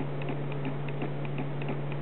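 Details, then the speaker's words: Omnipod insulin pod filled to 150 units, priming after PDM command: quiet steady clicking about four a second like a clock ticking over a low hum; pod priming normally. "I don't know if you can can hear it or not but it's clicking it sounds kind of like a clock you know ticking"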